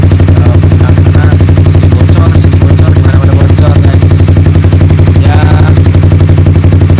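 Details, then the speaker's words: Honda CBR motorcycle at idle with an aftermarket exhaust/silencer fitted: loud rapid even exhaust pulses about four a second with a breathy puffing edge as air escapes from the muffler underneath; exhaust leak. "Kayak sedikit beser gimana gitu suaranya, kayak kata-kata beser gitu. Karena ini keuntungan angin keluar dari sini kan."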